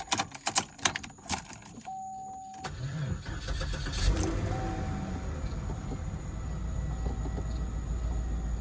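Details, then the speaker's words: Repossessed Cadillac SRX after a zip-tie repair, started on a booster pack: a few clicks, then it catches and settles into a steady, even idle with no stumble. Running much better. "Sure seems to be running a lot better."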